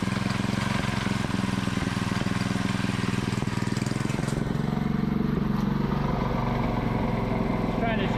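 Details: Predator 224cc Max Performance engine with milled, ported HEMI head and stainless valves, first run after rebuild, choke on: quick, even single-cylinder putter with clean firing, no misses or knocks; runs healthy.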